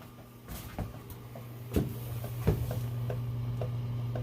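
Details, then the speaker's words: Hot-water heating system just switched on via thermostat and zone controller: scattered, uneven light clicks, about one or two a second, over a low steady hum, as the tubing expands with hot water going in; normal thermal expansion ticking. "Hear that clicking? That's my tubing growing as the hot water goes into it, which is a good sign."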